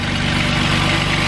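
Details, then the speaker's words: 2008 Jeep Wrangler Unlimited 3.8L after replacing the alternator that caused an electrical whine and faint burning smell: steady, even idle with smooth low hum and no whine, music in background; sounds healthy. "should be good to go moment of truth whoo [Applause] so there's so there's no sound coming from it that's off you alternator sinkhole Titan job"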